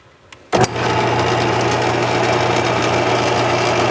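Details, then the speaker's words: Lathe turning round stock with bars during an overhead-valve Briggs project: a click, then the motor spins up to a steady even drone, no knocking or chatter; runs so quiet and smooth the bars' movement is hard to see. "I actually had to uh put a couple uh Sharpie marks on here magic marker because uh it was running so quiet and so smooth I couldn't tell if them B bars are moving but they are they're working"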